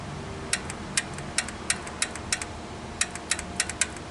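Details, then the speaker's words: 2008 Honda Pilot with code P0976 shift solenoid B low input; solenoid energized directly gives sharp crisp clicks in irregular bursts, so the solenoid appears good; harness to the computer possibly at fault. "Now, that would mean that this solenoid, it should mean that it's good."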